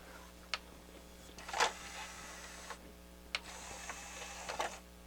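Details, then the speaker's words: Harman Kardon HK 720 CD player after repair of slow tray loading; loading motor not lubricated. A click then a short smooth motor whir as the tray travels and stops cleanly, now faster than before; tray working normally. "probably one thing i should have done is lubricated that motor but it's working pretty good now i think it's even working faster than what it was before it was coming out pretty slow"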